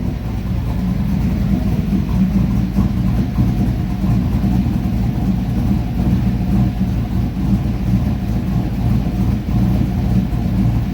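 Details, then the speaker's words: Dodge Ram truck with a 6.0 LS V8 swap, new shorty headers fitted, and an exhaust sealed with no tick, at a deep, choppy cammed idle; clean and healthy, though the owner mentions earlier misfire and high-idle issues. "once I had that Idol we're in trust and trotting [ __ ] that beefy trotty an idol"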